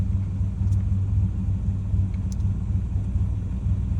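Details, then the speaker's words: 2001 Dodge Dakota, 19,822 miles, new serpentine belt, tensioner and idler pulley, just after start: low uneven idle with irregular lope, rough until warm and again after a 10-60 minute rest; idle air control valve suspected, unconfirmed. "Don't know if you can hear it at all right now, but just a rough idle. And once it warms up, it's perfectly fine."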